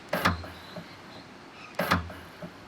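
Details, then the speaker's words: Electric tailgate latch motor triggered through a newly spliced inside momentary switch, twist-and-tape test wiring: two brief motor whirs ending in a light clunk. The tailgate latch actuator works properly from the added switch. "Now this is a plug and that'll run down to a momentary switch, and when we press that we should be able to hear the motor go off."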